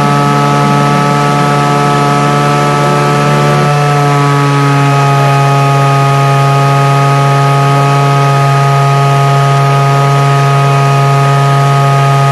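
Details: DIY gas jet turbine go-kart engine, turbocharger-based, idle about 22000 rpm: loud, steady high whine with clean tones, pitch stepping down slightly near four seconds then holding even; normal turbine idle.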